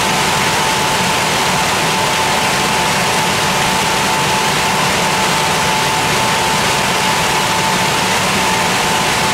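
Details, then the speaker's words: Air handling unit fan running after intake grille, very dirty intake filter, slack belt and motor/turbine pulley misalignment were fixed: steady fan rush with a thin constant high whine still present at supply vents; remaining suspects are turbine bearings or fan speed. "donc comme on peut le constater on entend encore un léger bruit aigu"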